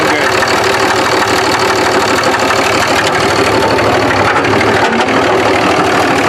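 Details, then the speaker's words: Diesel truck (2005 Duramax or 2006 Cummins) first run after crank sensor replacement: heavy uneven deep knocking about three per second over a rough idle; engine knock, connecting rod suspected, not confirmed, engine deemed garbage. "oh God that does not sound good oh no Eddie I think this motor's pooched"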